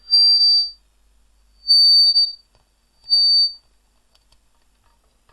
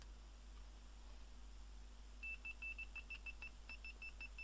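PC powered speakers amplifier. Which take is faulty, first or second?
first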